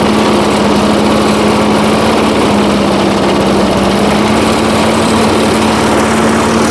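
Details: 1980s Firestone 22-inch mower after about 20 years of storage, warming up after the carburetor speed adjustment, slight smoke clearing: steady high single-cylinder buzz at constant speed with no misses. Normal running while warming up.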